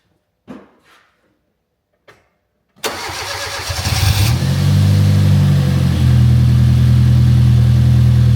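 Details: Fiat Punto GT Turbo, first start after a four-year restoration with new injectors: the engine cranks, catches, then settles into a slightly uneven, lumpy idle with a faint hunting beat. Cause not confirmed.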